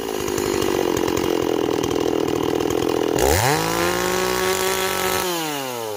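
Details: Stihl 026 chainsaw, cutting wood: pulls hard through the cut, then revs up cleanly, holds steady and falls back smoothly; running healthy.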